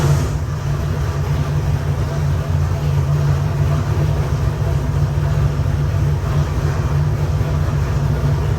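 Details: Rebuilt Chevy 454 big-block, 500 hp, Sniper 2 fuel injection, for a '65 Corvette, run on the dyno: deep, steady low rumble at an even pace with no knocks, ticks or misfires; runs great.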